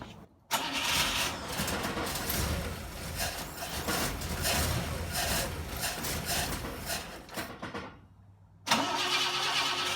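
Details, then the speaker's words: 1960 Pontiac Ventura barn find, rebuilt Tri-Power carburetors: catches, runs lumpy and uneven, dies, refires; owner thinks it is getting too much fuel, suspects jets, unsure. "it's about the only thing I can think of is is the Jets it appears to be getting too much fuel but I don't know for sure"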